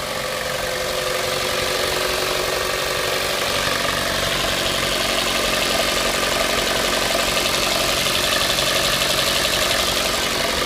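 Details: Mitsubishi Lancer X 2.0 at steady idle with a dull, regular knock of about four beats a second under the engine note; source not identified.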